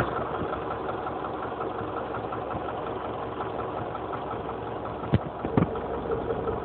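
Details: Honda CR-V engine at idle with a faint, regular light tapping over a steady idle; internal engine knock, cause not pinned down.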